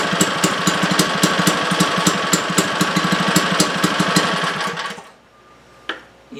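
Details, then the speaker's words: Legend Force lawn edger that would not start, after repair with choke on, fuel and oil, chugs with uneven, irregular firing for about five seconds and stops; still not running right. "That sounded promising. That was better. Didn't come to complete uh full action though, did it?"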